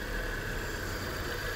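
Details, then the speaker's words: Peugeot 405 after injector servicing to cure a misfire/stumble under throttle: steady, even idle with no stumble or skipped beats; misfire gone, fault was the injectors, no replacement needed. "خب همون طور که دارید می‌بینید ماشین کاملاً صاف شده و اون ریپ اولیه رو دیگه نداره پس متوجه شدیم که ایراد از سوزن بود و با سرویس سوزنا مشکل رد شد."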